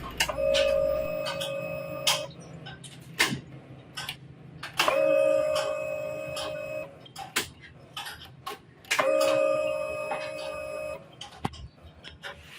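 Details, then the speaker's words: Honda Click 125i scooter that had not run for six months: with the key cycled on, the fuel pump gives three steady two-second whirring hums, each starting with a click; the pump primes normally and its motor is fine. "so habang pinapatay sind din natin yung susian ng motor ni boss Naririnig naman natin yung Ugong ng fuel pump nangahulugan lang yan na good Yung kanyang fuel pump at walang sira yung kanyang motorize"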